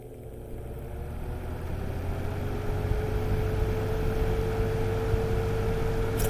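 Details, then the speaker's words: Lasko 3733 20-inch box fan (c.2019–2020), mic close to the motor at the rear, starting on low speed: a quiet low hum builds into a smooth, steady whine, a normal motor startup sound. "all right so i got you guys nice and close to the motor now so we can hear the startup sound so this is we're gonna go low first"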